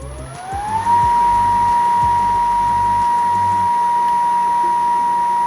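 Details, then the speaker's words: PPA Brutalle 3.0 JetFlex industrial sliding gate motor after repair, spinning up to a smooth, steady high whine with no grinding; noise fixed by replacing only the bearings. "Esse é o barulho normal da máquina. Trocamos somente aí os rolamentos e o problema já foi resolvido, né?"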